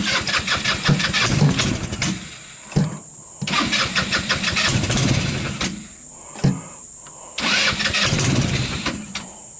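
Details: Hammerhead off-road go-kart with 150cc GY6 engine, rebuilt ignition with good spark, cold start: three attempts sputter a couple of seconds then die, not getting enough gas — contaminated fuel in carburettor causing hard cold start.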